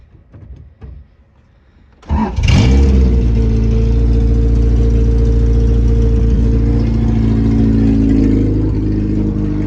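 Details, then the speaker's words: 1995 Honda Civic EG race car, gutted, B16 transmission: cranks and catches, then fast slightly uneven idle with faint irregular stumble; misfire starting within seconds to minutes, blamed on a Honda issue to be sent out; fuel pump previously fixed. "It starts to misfire in a couple minutes or a couple seconds."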